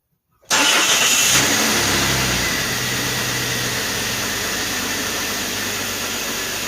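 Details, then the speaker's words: Jeep Cherokee Sport after full tune-up (oil, antifreeze, spark plugs): starts immediately without its usual hesitation and settles to a smooth steady idle, no misses or knocks; normal idle. "um sounds perfectly fine start it up a lot better than actually what it normally does it typically has a little bit of hesitation when you go to try and turn the key and start it"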